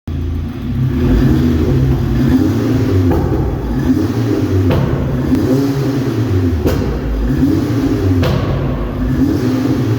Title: APR Ignition Coil APR-MS10020 problem misfiring